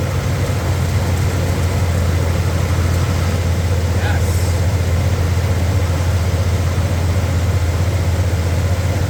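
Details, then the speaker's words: 1993 Dodge D150, first start since April after mice got in and a battery recharge, alternator confirmed working: low, steady idle with an even beat and no knocks, ticks or stumbles; runs smoothly. "Now, just listen to that thing. Tell me if you hear anything weird on it. I think it sounds great."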